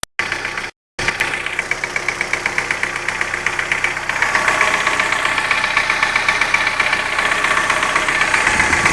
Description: после замены гидрокомпенсаторов стало постукивать.на холодную не стучит.